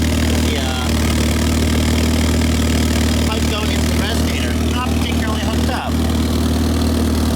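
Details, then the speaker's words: 1985.5 Pininfarina Spider Europa on cold start, factory catalytic converter: steady idle with loud raspy low puffing from underneath; exhaust leak, to be fixed. "You can hear that the exhaust may or may not be coming out where it should right now."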